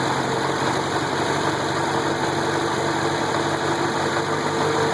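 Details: VW engine idling with a fast, faint knock buried in busy mechanical clatter; owner suspects rod knock, but it doesn't clearly point to the bottom end.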